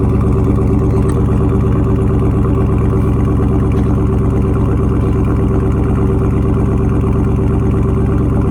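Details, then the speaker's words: Dodge Charger Scat Pack 392 widebody, salvage auction car with crash damage, check engine light on, revved in place: deep V8 rumble with even strong pulse and clean rev pickup, no knock or tick; sounds like a monster compared to the R/T, healthy. "man sound like a monster boy this one sounds like a monster compared to the rt dang"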